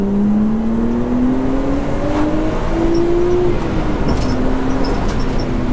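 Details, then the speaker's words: Nissan R32 Skyline prepared as a wedding car with HICAS removed, end of its first proper drive: smooth engine note climbing steadily through the gears over road noise, no knocks or rattles. Normal acceleration. "and it goes pretty good still so yeah i'm overall stoked with it all"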